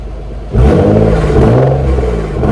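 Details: Nissan 300ZX twin turbo after long storage, following shifter bracket mod and fuel filter relocation: quick rev to a deep, clean exhaust note that rises and settles evenly; idle good, some ticking noted, exhaust healthy.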